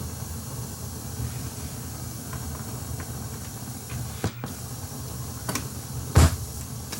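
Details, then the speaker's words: Akai 4000DS MkII reel-to-reel powered on, not playing: steady hiss and low hum with a few small clicks; noisy amplifiers from failing transistors. "noisy transistors yeah it's noisy with powered on and not playing"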